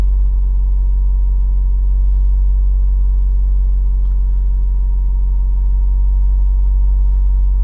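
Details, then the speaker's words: Toyota Celica GT4 ST205 JDM engine that starts and idles fine: a thin, steady electric-sounding whine over a low hum appears whenever the throttle is blipped, seemingly from the left side. Source unknown. "There is the noise. As soon as I put the foot on the throttle."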